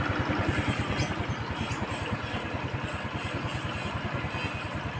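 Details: Rusi Gala 125cc scooter after carburettor needle clip returned from position two to six to cure hard starting: even, steady putter at idle with regular beats and no knocks or misses; healthy idle.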